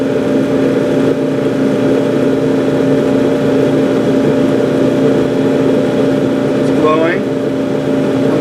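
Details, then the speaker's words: Gas clothes dryer after gas valve coil replacement: igniter glows, valve coils clunk, gas lights; steady even hum with blower and drum turning smoothly, no rattles; running normally. "Hot enough, you'll hear these things clunk. Let the gas through. There you are. That's how a dryer works."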